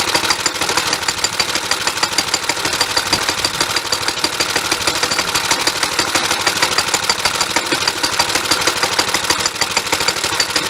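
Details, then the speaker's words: Suffolk Punch 30 mower engine, after cleaning the air filter and adjusting the carburetor, idles with a quick, quiet, even putter through a good muffler under gusty wind. It runs decently, a normal idle. "Running pretty decently. It's quite quiet. The muffler's obviously quite good. It was idling"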